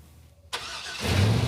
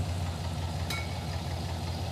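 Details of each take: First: Engine after two reversed wires in the coil plug harness were corrected; thermal imaging had shown two cylinders not firing. It catches and settles into a steady, even low rumble with no stumble, far better than before; normal running. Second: V8 with aftermarket ECM, listened to bank by bank: lumpy, uneven idle with a loping low thump that skips a beat, at least one dead cylinder on one side, running on six cylinders; cause was crossed spark plug wires.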